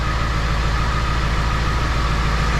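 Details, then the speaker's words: 2002 Ford 7.3 Powerstroke diesel, first start after engine install: deep, steady, smooth idle around 800 rpm with no knocks or misses, barely smoking, responsive throttle — normal idle. "oh right 800. I mean smooth didn't even barely smoke look didn't even barely pop off oh she's responsive now I barely even touched the pedal"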